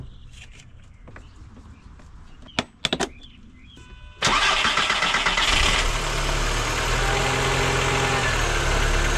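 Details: 1999 VW Golf MK4 after replacing the faulty mass air flow sensor: a few short clicks, then the engine fires and settles into a steady, even idle with no stumble or hunting; misfires cured, sounds healthy.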